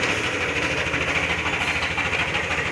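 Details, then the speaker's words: Yamaha NMAX scooter with strange engine noise, not the CVT; exhaust and catalytic converter replaced without change: harsh, gritty metallic rasp over the idle, found to be a broken camshaft bearing. "estamos aqui o mar e max ela tá com um barulho bem estranho não no motor"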